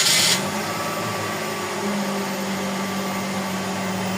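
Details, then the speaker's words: Suzuki Celerio with a hard-starting complaint, relay suspected; key on gives a steady low fuel pump hum held evenly for several seconds, the long prime it should always have; normal fuel pump priming. "Ayan maririnig dito yan sa pamp kanina ang haba bago bumitaw."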